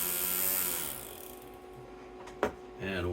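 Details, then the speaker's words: Bissell 3-in-1 turbo vacuum brush-roll motor (RS-380SH) on bench supply above 13 volts: whirs, winds down and stops with a click, then surges back, cutting out under power with a burning smell. "the capacitor fuse is not getting hot because it it's not cutting off the motor so let's go up a little more that usually cuts out right in here"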